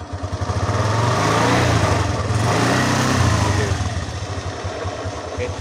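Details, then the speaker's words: Suzuki Skydrive 125 scooter after CVT service, kick-started, at idle: engine pulls up smoothly and drops back evenly with no rattle, judder or grinding from the drive; feels smooth, though it shudders when releasing throttle while riding. "Oke, ini oke, untuk kecepatan idle , seperti ini. Suara saat diam."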